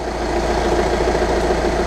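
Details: 2013 Jetta TDI diesel after auxiliary fuel pump replacement, fuel system primed: steady even idle clatter with no misses or stumbles; runs smoothly, no leaks.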